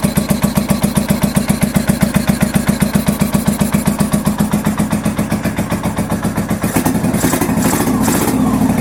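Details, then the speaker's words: 1983 Honda VT750 V-twin first start after a top end rebuild and modifications, with starter fluid sprayed and chokes pulled: fires and settles into a steady, even thump on choke, then blips cleanly; normal start and choke idle. "turn the key over i'm still [ __ ] nervous he went like i heard the engine turn over which is so [ __ ] great"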